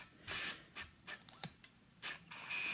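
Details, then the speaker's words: Phoenix/clone 100-400mm Minolta AF-mount zoom lens on Sony A7RII via LA-EA4 adapter, zoomed in unable to focus: short high buzzing bursts as the focus motor drives back and forth and hits its end stop; autofocus hunting. "and then it can make some noises um when it can't focus like this so it hits the end"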